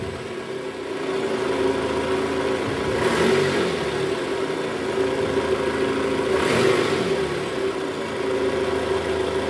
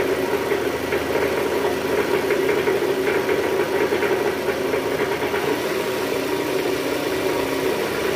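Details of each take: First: Toyota Estima 2AZ-FE after replacing the worn balancer shaft, which was blamed for a rough, diesel-like sound with AC on in R or D: smooth steady idle in gear with two clean throttle blips, no roughness; engine back to normal. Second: Toyota Estima 2AZ-FE engine at first start, AC on, in R or D: rough, heavy idle with dense clatter and uneven vibration from the oil pan area; diagnosed as worn balancer shaft.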